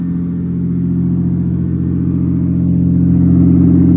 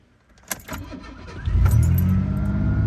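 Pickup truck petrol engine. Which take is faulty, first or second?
first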